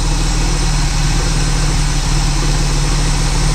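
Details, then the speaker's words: 1979 Pontiac Firebird, V6 just revived after years of sitting, oil checked good: loud, deep, even burble holding steady with no misses or knocks, a smooth healthy idle, though smoking a little. "sit there and purr like a kitten. Oh, that's cool."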